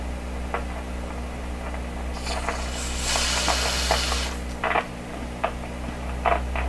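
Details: 1929 Victor RE-45 tube radio, testing a third #27 detector tube: steady low mains hum with irregular sharp pops and crackling bursts persisting, including while spraying freeze; source of partial-discharge crackle still not found.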